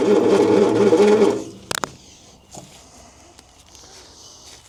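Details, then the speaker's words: 1972 Bedford J series truck (possibly J3), long-sat, good spark: about a second of even, steady cranking that never fires; cranks but won't start, later found ignition timing out at the distributor. "Strange. It's not doing anything at all. And she's got a bit of suction there, too."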